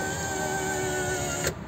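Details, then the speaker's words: 2019 Toyota Avanza power window after cleaning the glass channel rubber and greasing the rail: steady motor whir as glass rises, soft stop at top, smooth with no squeak or binding. "hai hai Hai suaranya sudah halus enggak British mati ya lebih"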